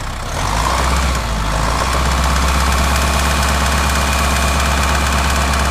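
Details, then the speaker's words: 2010 Subaru Forester 2.0 diesel, manual: rough idle with an uneven knock, a damping noise near the flywheel that vanishes with the clutch pressed, and another knock as revs rise slightly; flywheel fault later confirmed, crankshaft found very loose. "Вот такой вот шум в районе маховика, демпфирующий, здесь маховик стоит. Когда выжимается сцепление, этот шум пропадает, один из шумов."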